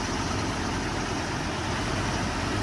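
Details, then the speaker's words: 2008 Chevrolet Colorado at a tow-yard auction, jump-started: catches at once and quiets right down into a smooth, even idle with a steady low rumble, no knocks or misses; sounds healthy. "Started right up with a jump. Quieted right down."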